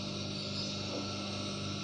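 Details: Water pump motor removed from pump, previously not starting, now wired on bench: smooth steady hum with firm low drone, no rubbing, growl or stalling; motor running evenly and normally.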